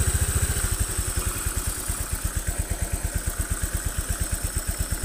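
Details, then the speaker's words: Honda Vario 125 FI scooter after injector and throttle body cleaning and internal repairs: even, steady putt-putt idle with no knocks; sounds smooth, unlike before. "kemudian servernya wajib ganti suaranya sudah halus tidak seperti kemarin"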